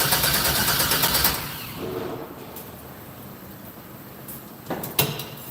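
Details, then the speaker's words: 1964 GMC with Holley EFI on first-start attempt: brief rhythmic cranking then stops without catching; voltage dropped to about 10 V, below the 11 V Holley wants – low battery suspected. "great why wouldn't be stared now it's down to like 10 yeah voltage is a little low voltage"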